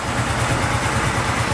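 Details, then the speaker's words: 2011 Kawasaki Teryx Sport SE, brand new from crate, 750cc fuel-injected V-twin, no choke, starts right up: even loping idle pulsing about five beats a second, no misfires or rattles; runs real nice, normal idle. "So it just cranks up. There's no choke. Starts right up. Just got a gas pedal. It's a gas pedal and a brake pedal. Runs real nice."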